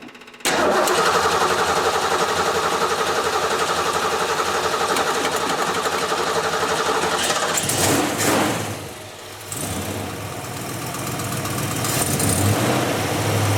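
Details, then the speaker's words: Ford Mustang with a 347 V8 rebuilt last fall, carbureted with an electric fuel pump, cold start after winter storage: brief crank, catches and settles into a loud, steady lumpy idle, no knocks or misses. "She sounds great. Listen to that. That is not what the new Mustangs sound like."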